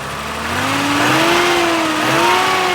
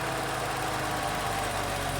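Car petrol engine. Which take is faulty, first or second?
first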